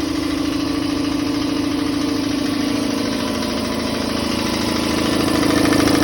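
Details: Campbell Hausfeld air compressor after replacing pressure switch, check valve, gauges and regulator: steady hum with an even quick pumping beat, pitch rising as the tank fills; runs smoothly, repair successful.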